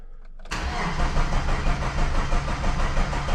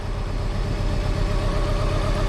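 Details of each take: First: 1995 Plymouth Neon, low mileage, sat long in a garage, fuel pump priming: starter cranks about three beats a second with occasional weak firings that never catch; owner says it's firing on one cylinder; crank, no start. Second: 1995 Plymouth Neon, low mileage, long-stored, after running a while: low even idle with no misses or lumpy beats; no longer shaking, idle settled smooth.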